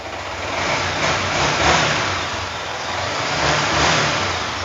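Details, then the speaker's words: 2018 Yamaha R15 (registered 2019): smooth, even single-cylinder idle with clean throttle blips and no knocks or rattles. Engine still smooth; normal idle and rev. "Oke. Mesin juga masih halus."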